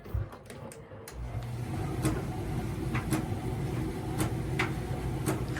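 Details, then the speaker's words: Miele T8003 tumble dryer screeching: motor hum with irregular sharp scraping squeaks, typical of worn motor carbon brushes (part 4490382 or 5153702), fixed by replacing brushes held by Torx screws. "When you get this kind of noise, usually it's the carbon brushes on the dryer."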